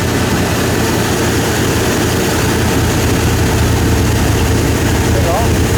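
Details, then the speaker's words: Turbo Nova V8: steady, even idle sitting high, about 1200 rpm, because carburetor T-slots are opened up for a big motor; closing them would probably give roughly 800-900 rpm. "and I can't get the idle down in the lower because I got the T slots open up for a big motor"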